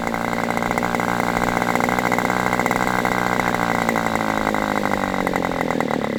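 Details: Aviastar 46 ABC glow engine, testing two carbs on a chilly, breezy 61°F day: a high buzzy idle wavers and sags in pitch instead of holding steady. Owner suspects it is a hair rich and plans to lean it. Top end is good with this carb.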